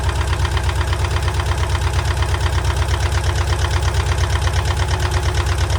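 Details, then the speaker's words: VW T25 Westfalia engine recommissioned after sitting idle for years, water pump and thermostat replaced: rough idle with a steady chuffing puff about twice a second over the rumble; exhaust/engine blow, source not yet found. "Well, yes, I don't know if you can hear this. We've got life, we've got a nasty engine blow. We'll find out where that is."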